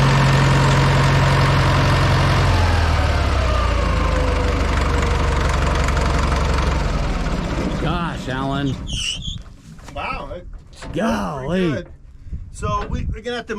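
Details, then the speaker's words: Old Caterpillar 955L track loader that sat unused in a yard for many years, running on old diesel fuel: steady, even diesel idle with a low, regular beat and no knocks or misses; runs well after the long sit. "it ran really well I made it up on the old diesel fuel this thing has been sitting here for a while"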